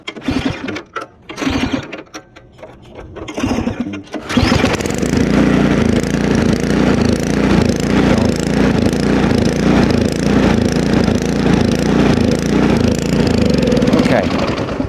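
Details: Ariens Deluxe two-stage snowblower with LCT 254cc engine, started cold outdoors with prime and choke: after a couple of failed pulls it catches and runs with a lumpy, pulsing, surging beat, sometimes stalling at idle. Customer's long-standing surging complaint; fuel-starved carburetor suspected.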